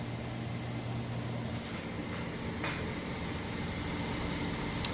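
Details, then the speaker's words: Whirlpool Cabrio Platinum top-load washer, jeans and towels load, final spin near fastest speed while draining; soft steady motor hum with even low drone, no grinding, normal spin. "alright in here is just about its fastest speed and it'll spin like this for the next 5 minutes flipping the drain on and off getting the rest of the little water out of there"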